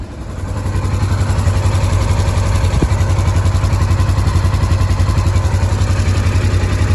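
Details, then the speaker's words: Polaris Ranger 900 XP side-by-side, hard start: extended cranking at about 220 beats a minute that never catches; leaking intake seals or a vacuum leak suspected, with air heard escaping near the intake. Not confirmed. "so at I think that heart starting might be something to do with the seals on this intake right here cuz I can kind of hear like some air like right here somewhere"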